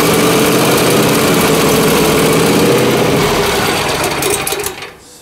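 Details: John Deere Z355R zero-turn mower with Intek engine: small single-cylinder chugging at a fairly fast, slightly uneven beat, surging instead of a steady idle; smooths when choke partly closed, suggesting fuel issue, owner suspects debris in carburettor; rough running.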